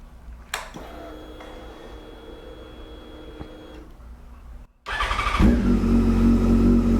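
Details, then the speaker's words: 2008 Yamaha FZ1 first startup after replacing oil/water pump and clutch, idling with a faint steady whine; engine whine not fixed, owner questions whether it is normal for the model. "And if I'm gonna be honest, just right off the bat, it does not sound like we fixed it. Still hear what sounds like to be that noise."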